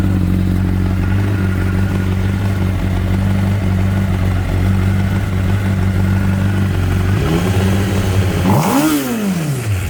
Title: Screeching sound at high rpm after throttle release. 2012 cbr600rr